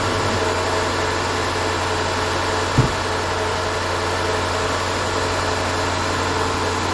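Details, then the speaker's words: 2016 Land Rover Range Rover L405 Autobiography 5.0L V8 after timing failure repair, first start: smooth, even idle with steady low drone, no misfire, stumble or tick; some smoke from penetrating oil burning off exhaust manifold nuts. Normal idle. "that is okay thing sounds good it's running smooth it's not misfiring"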